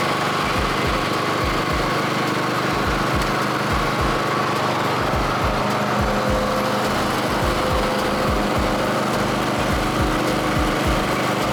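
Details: Second-hand Snapper Pro SW30 52-inch mower with a Kawasaki 651V twin, after a full tune-up service: even, steady drone with no knocks or misses, holding speed smoothly; engine running healthy.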